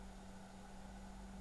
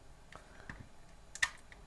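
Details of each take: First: Opus BT-C3100 v2.2 charger discharging at 1 A, stock cooling fan just switched on: steady low hum with soft airy whir at low speed, no rattle; the fan runs a bit louder when the charger is flipped over. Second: Opus BT-C3100 v2.2 charger, dead after a battery leaked electrolyte in the last slot, connected to its 12 V 3 A adapter (measured 12.3 V): faint irregular clicks as the adapter trips into short-circuit protection; charger input suspected shorted.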